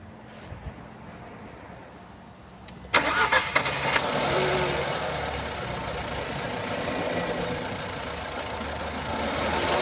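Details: 2016 Nissan Pulsar C13, 1.2 petrol HRA2DDT (1197 cc, 85 kW/116 PS), 97,716 km: engine starts and settles into a rough, unsteady idle with an irregular puff in the exhaust beat, caused by a burnt exhaust valve.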